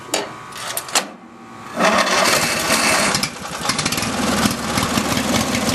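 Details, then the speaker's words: Craftsman riding mower that sat about six months, twin-cylinder engine cranks briefly, catches and settles to a steady idle without much shaking, running on both cylinders. "dry the motor is not shaking too badly so I know it's running on both cylinders"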